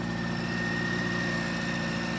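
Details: Austin A30 after restoration, just started after 6 months of sitting, cold on choke: steady, even low rumble with a faint constant high whistle and no knocks or misses; healthy cold idle. A broken exhaust bracket was noted.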